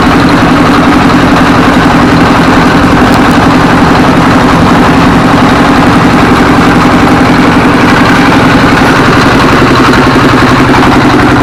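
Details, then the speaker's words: Single-cylinder S1115 24 hp diesel after repair of heavy black smoke and unstable revs: steady, even thumping at about 220 a minute at idle with no misses or surging; smoke reduced, running normally. "Hai Baik sahabat ketika posisi stasioner ya ini gas ini bisa besar kecil besar kecil ya posisi stasioner itu tidak masalah normal ya"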